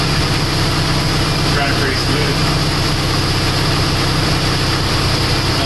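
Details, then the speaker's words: PT Cruiser 2.4 after used cylinder head installed to cure idle misfire: even settled idle, steady low throb, no misfire or ticking, smoothing after over 5 minutes running; small pre-existing exhaust leak. "as you can see the more it runs the smoother it gets it's been running out for over 5 minutes"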